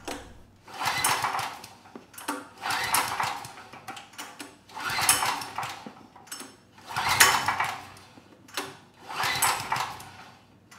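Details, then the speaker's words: PowerStroke 6000 W generator, about 12 years old, stored outside with rusted debris-filled tank; choke off; recoil pulls every two seconds, rope rasp and compression, no firing; no-start, runs on starting fluid. "yeah we got absolutely no signs of life so i'm going to pull the air box cover off give it a bit of starting fluid and see if it comes to life"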